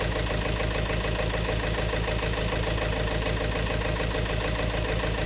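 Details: 2018 Peugeot 3008 diesel at idle, noisy engine diagnosed as a fuel system problem; loud clattery idle with an uneven beat under a steady rumble; injector number one reads 1.17 against about 0.78 on the others; faulty fuel injector.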